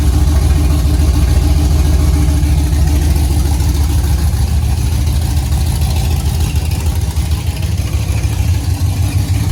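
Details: 5th-gen Camaro V8 on its first start-up after broken-piston repair, DOD/AFM delete and Texas Speed 224R cam, no AC belt because the compressor is gone: loud, deep idle with a slightly lumpy but steady beat and no knocks; running fine.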